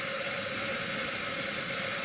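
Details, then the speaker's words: Coleman Handy Gas Plant head (ex-457G) on a 413 stove tank and generator, pressurized and opened fully to 35,000 BTU: steady even hissing roar, no surging or sputter; normal full-output burn. "and uh you can see that that's the uh that's the full 35 000 BTU right there"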